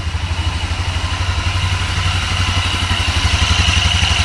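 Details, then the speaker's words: GY6 250cc CVT engine (Mega Hummer ATV), still cold, no choke, after valve clearance adjustment (intake and exhaust were too tight): even, steady idle about four beats a second, no tapping or misses; now runs rounder, normal idle. "Dar se aude că merge mai rotund."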